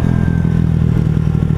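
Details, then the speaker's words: Honda Ruckus after correcting a CVT sliding guide installed backwards that stopped the variator sliding: fast, even putter under throttle, no slipping or clatter; normal CVT revving. "yeah that sounds better I think it sounds"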